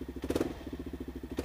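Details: Kawasaki KLR single-cylinder after carburetor repair, started after sitting overnight: even putter at roughly eleven beats a second with a couple of short throttle swells, healthy and steady; normal running.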